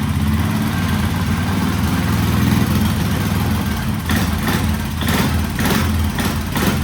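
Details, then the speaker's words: 1967 Sears Super 12 lawn tractor with a swapped-in engine and new muffler, running on gasoline: strong, even roar held at high revs, low mellow exhaust, no misses or rattles. Normal high rev. "Oh, it's a new muffler. Oh, yeah. That sounds really good. It's not too loud. Give her some high rev."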